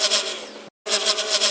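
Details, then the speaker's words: XK X252 quadcopter at full throttle, raised from the stock 80% to 100%: a high buzzing motor whine with a fast pulsing wobble. Owner suspects a bad bearing in the back left motor, or flexing plastic arms; cause unconfirmed. "um it sounds like a lot of vibration that back left motor I believe has a bad bearing"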